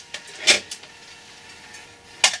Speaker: very nice gratifying kind of clunk that comes out of these machines